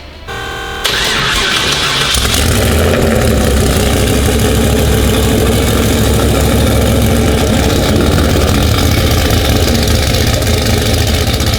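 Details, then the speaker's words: Engine fired up with the turbo disconnected because it felt tight; lumpy idle with a quick, fairly regular ticking knock from the valvetrain area. Owner suspected a loose rocker or push rod, but the rockers all move well; cause unconfirmed. "I was thinking like oh that sounds like maybe uh you know rocker was loose and a push rod is smacking around and something like that"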